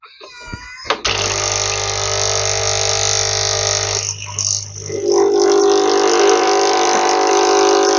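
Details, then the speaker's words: Nescafe Dolce Gusto coffee maker after fixing a stuck pump that gave no water: even low buzzing pump hum with hissing as boiling water flows through, steady and smooth; pump working normally. "Sy water is lekker boiling water. So it was the pump that was wrong. That pump was stuck in there."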